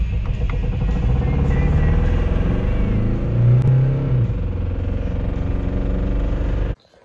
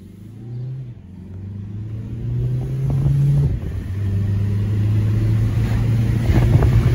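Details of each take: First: 2006 VW Jetta TDI 1.9L Pumpe Düse (BRM/BEW) with low power and check engine light, valve cover off: uneven rapping clatter over idle drone from a camshaft lobe that broke a lifter; cam and lifter failure. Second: 2006 VW Jetta TDI 1.9L Pumpe Düse diesel after a new camshaft fixed low power, driving and building boost: smooth, even drone climbing steadily in pitch under load, no knocks or ticks; normal running.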